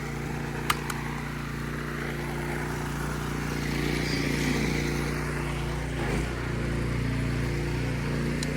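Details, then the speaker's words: Generac OneWash pressure washer (bought 2015, Honda-clone single-cylinder engine) just started and warming up, steady even drone with no knocks or surging; pressure still cutting in and out briefly before fully ready; runs smooth and healthy. "it's still catching some of the pressure cuz even though it's on it's still getting pressure so it'll cut in and out a while and then it'll be fully ready to go"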